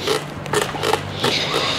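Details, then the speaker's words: Onvo 12 X Plus electric scooter rear shock absorber pressed by hand: short creaks and squeaks; suspected faulty lubrication or wiper seal or wrong oil level inside the shock, joints already tightened with only partial improvement. "Muhtemelen bu amyon içerisinde ya yağlama keçesi ya sıyırma keçesi bunlarda sorun var veya yağ miktarıyla ilgili bir sorun var o yüzden şöyle bir gıcırdama"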